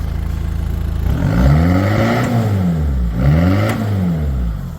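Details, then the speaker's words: Talbot Express van converted to a 2.0 HDI Peugeot DW10RHY diesel (20psi boost, R70 BMW fuel pump, tuned), stationary: steady diesel clatter at idle, then two clean revs gaining boost quickly, no misses or knocks; normal revving. "sounds pretty good, too. So, yeah, you see it gaining boost quickly, even though it's not running on the road."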